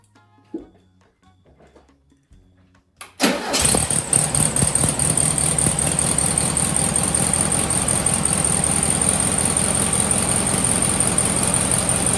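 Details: VW Sunbug air-cooled flat-four, engine just reinstalled with rebuilt transmission, mechanical oil pressure gauge fitted: starter catches and it settles into a steady, even, clattery idle; runs smooth and healthy.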